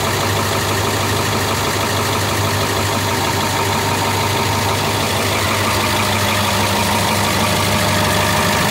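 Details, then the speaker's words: 2002 International chassis diesel pusher bus with a T444E engine at idle. Loud, steady diesel idle with ticking puffs from a couple of exhaust leaks and an uneven beat; owner suggests listening for one cylinder. Rough idle with exhaust leaks. "So we're going to start it up so you can hear this little T444E, and it's got a couple exhaust leaks, but see if you can pay attention."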